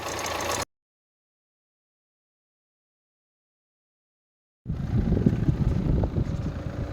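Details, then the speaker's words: BMW N47 diesel in a Mini, rebuilt after two years stored, with new oil pump and chain, no warning lights: after a silent gap it idles with a soft, even, clatter-free beat, very quiet for a diesel. Normal idle. "I mean, I'm right in front of it and I'm just talking. I mean, that's whisper quiet. I mean, like, that's stupidly quiet for a diesel."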